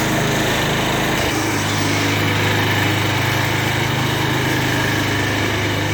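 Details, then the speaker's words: Murray riding mower with a Briggs & Stratton single-cylinder engine, test run after reassembly: a steady, even drone with no misses, knocks or surging; it runs normally. "well runs pretty good"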